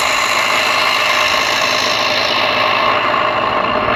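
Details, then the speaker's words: 2012 Ford F-150 3.5L EcoBoost at idle: constant harsh rasping grind, loudest near the vacuum pump behind the driver's side headlight, pump shaking; original metal pump corroded, dirt got in, bearings worn. "okay so when i touch it under the wheel over here you can feel it but the whole thing is shaking because it's messed up and the reason that happens is because it corrodes in there"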